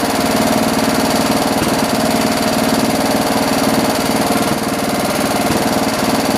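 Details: John Deere 112 round fender tractor with a Kohler K181 single-cylinder, after governor and throttle assembly adjustments: a steady, fairly even thump with no surging, the governor holding speed. Running normally; the owner thinks the idle needs lowering.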